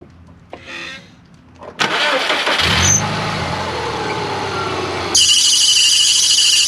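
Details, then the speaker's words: 2009 Subaru Outback 2.5L cranks and starts, then a shrill steady high-pitched squeal rises over the idle: mild to moderate power steering belt squeal, the belt slipping on the power steering pulley. "what you all just heard was a mild to moderate power steering belt squeal"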